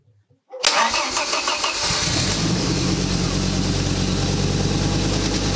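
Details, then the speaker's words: Ariel Atom replica after fuel tank rebuild, started via wired starter: quick crank and catch, then steady idle with slight rhythmic rise and fall from idle valve control; runs fine, idle adjustment maybe needed. "Seems everything is alright while idling engine tends to pulse a bit because of idle valve control, so some adjustments needed there maybe but in general it seems alright"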